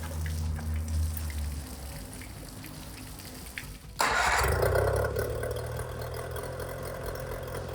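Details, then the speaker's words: 25hp Mercury outboard after carb rebuild (junk in carburetor), new fuel pump parts and spark plugs, previously idling badly: quiet putter, sharp catch, then steady idle that holds without dying; normal idle. "It was one of those deals where I had to take the carb off, took the carb off, rebuilt the carb, and put new fuel pump stuff in it. And away it goes."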